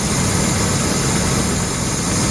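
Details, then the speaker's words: Land Rover Discovery that started after a shot of starter fluid with the air cleaner off: a steady, even low idle with no knocks, stumbles or surges. It is now running properly; the fuel smells of bad gas. "Looks like for some reason the truck started to run properly."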